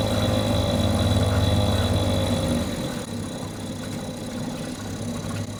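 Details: Mercury 2.5 hp two-stroke outboard that sits for long periods and wouldn't stay running, now running after carburetor troubleshooting: even buzz settling cleanly to a lower speed, running smoothly with no sputter, holding at various RPMs; normal running.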